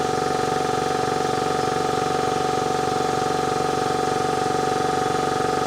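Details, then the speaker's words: Ingersoll Rand 5HP two-stage 80-gallon air compressor with replacement motor and magnetic starter, about 19.5 A per leg: steady even hum with fast regular pump beat, loose belt squeaks slightly at start; running normally. "It does sound like, to me, it's starting a little bit quicker. You can hear the belt squeak a little bit. The belt is on the loose side."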